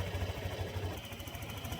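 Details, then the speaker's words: Honda Click 125 scooter idling with fast light ticking clatter over low even beat; noise appeared suddenly; mechanic suspects cam chain tensioner or timing chain needs replacing, unconfirmed. "So, yan yung tunog niya. Bigla siyang nagkaroon ng sounds at saka walang"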